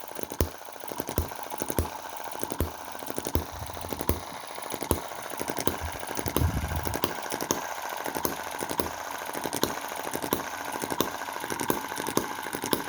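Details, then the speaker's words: Cheap Chinese M19/EM2 1.6 cc desktop hit-and-miss engine: sharp, uneven pops over light clatter, with firing slowing while the crankcase breather hole is covered. It loses a lot of power when the breather is blocked. "see the difference it makes? loses a lot of power if you cover that hole."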